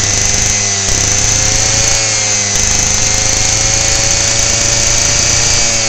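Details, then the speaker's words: Lawnmower single-cylinder engine running with spark plug wire unhooked, warm; hot plug and engine ignite 10% ethanol fuel, so it runs hard and even with a steady high buzz and takes off with more power, no spark. "when the spark plug gets warm enough the ethanol will ignite from the temperature of the engine and the temperature of the spark plug and when it does that you hear the thing take off"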